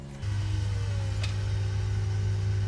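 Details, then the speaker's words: Land Rover Discovery 2 TD5 after fitting a new in-tank fuel pump and filter, ignition on. A steady low even hum for a few seconds that stops cleanly; the new pump primes normally. "now i can hear it purring away perfect that's exactly how you want it to be right so fuel pump is in"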